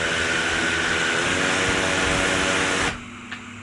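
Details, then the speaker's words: DJI Mavic Air 2 on a desk with edge-smoothed Master Airscrew Stealth props: even high-pitched motor and prop whine, no wobble, cuts off cleanly; drone not walking across table, normal. "you know it seems to be not vibrating as much so smoother smoother performance"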